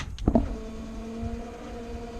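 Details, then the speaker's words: 1979 Ford F350 dual-tank truck with aftermarket EFI (Fast) fuel system, new a year ago, inline electric fuel pump failing to hold pressure; no-power complaint. After clunks, a loud steady low whine with overtones holds; failing electric fuel pump. "I don't know if you can hear, but that sounds pretty horrible. So that's his biggest complaint, is that no power, and now the fuel pump sounds really horrible."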